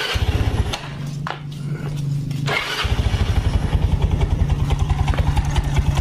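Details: Yamaha Mio Soul automatic scooter brought in not moving and noisy, idling with the CVT cover closed/belt off: loud racket gone but the engine still thumps slightly unevenly, about three beats a second; front/middle engine (block, head, con rod) suspected.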